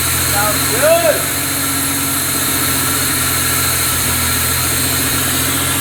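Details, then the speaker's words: Pontiac Fiero petrol engine idling after a fuel injector, fuel system and distributor overhaul: smooth and steady with no misfire, but idling a little high from a vacuum leak. "good that is what i'm talking about the fiero runs good it's got a vacuum leak it's idling a little high but it's clean"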